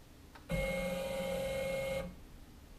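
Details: CNC router stepper after steps-per-unit recalibration and saving in Mach3, MDI rapid move G90 X12.7 mm (half an inch): steady, clean mid-pitched motor tone for about a second and a half; the stepper runs smoothly and accurately.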